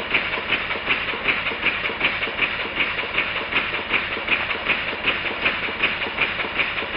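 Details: Model steam engine running on compressed air after cylinder, port face, steam chest and exhaust outlet repairs: light, crisp, even chuffs about two and a half per second; runs smoothly.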